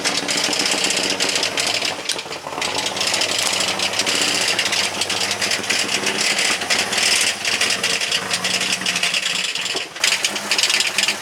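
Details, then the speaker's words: Jeep TJ, just given fuel, engine due for rebuild: rough uneven running with rattly clatter and hiss over weak idle; bad condition, cause not pinned down. "So if that's what your Jeep sounds like, that ain't good. It's not, that's bad."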